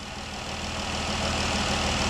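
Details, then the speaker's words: 2012 Dodge Durango 3.6L Pentastar V6 after replacing the noisy roller rockers on one side: smooth, even idle with soft hum and no valvetrain tick; ticking fixed, normal idle. "alrighty guys yes can you say success can you say peace and quiet yes guys"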